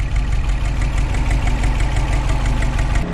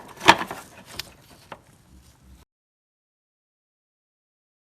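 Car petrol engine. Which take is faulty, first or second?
second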